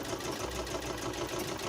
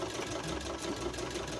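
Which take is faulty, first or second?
second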